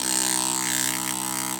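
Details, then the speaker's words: BMW N52 DISA valve OEM electric motor, clean, bench-run before oil test: high, steady whirr spinning freely very fast, then cutting off cleanly; healthy motor speed. "Here's the OEM motor. I'm going to show you how fast it spins. And the camera doesn't really pick it up because of frame rate, but it's spinning very fast."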